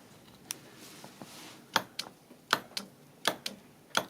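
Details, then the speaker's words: 2008 Honda Fit evaporative vent solenoid (normally open), code P2422 stuck closed, bench tested with a Power Probe 3: sharp clean clicks as power is applied, solenoid engaging properly. "so if we see if we hear the click meaning the solenoid is engaging"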